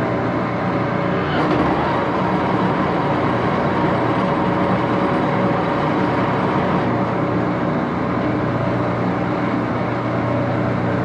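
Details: Axelson 14x30" heavy-duty gear head lathe run through its speeds, headstock filled with AW68 hydraulic oil (about SAE 20); steady busy gear roar stepping up in pitch as it shifts; noisy but normal running.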